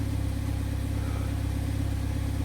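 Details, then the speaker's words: Idle at the exhaust after replacing the exhaust camshaft position sensor (P0014, limp mode; solenoid codes P0973/P0976 still suspected): even steady exhaust pulse, no lope, rough idle gone, check engine light off; normal idle. "what no rough idle when I'm at a stop check engine lights off we're going down the road and shifting good it's quiet and I'm happy"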